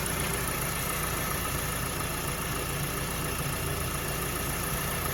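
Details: Mazda CX-7 2.3L rough idle with a dull, heavy knock thudding low under the engine note; teardown showed badly worn bearings caused the knock.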